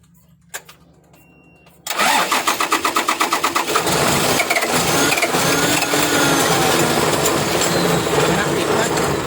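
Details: Rice-harvester trailer truck diesel, hard starting: cranks in quick even beats, nearly three a second, before catching and settling into a rough diesel clatter; reluctant to fire.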